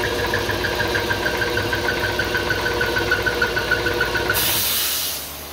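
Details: 60-gallon Husky air compressor that bogged and smelled of burnt rubber: motor labours with a pulsing high-pitched chirp-squeal over the run; loose belt slipping on the pulley, not the start/run capacitors; belt replaced.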